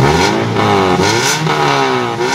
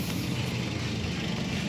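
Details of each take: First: 2008 Toyota Yaris E manual: revs rise and fall smoothly with a slightly raspy exhaust note; the engine still sounds crisp, but a small leak in the muffler body is suspected. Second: 2008 Toyota Yaris E manual petrol engine, hood open: steady even idle with light valve ticking, no knocks or misses; normal, though a small exhaust leak is possible.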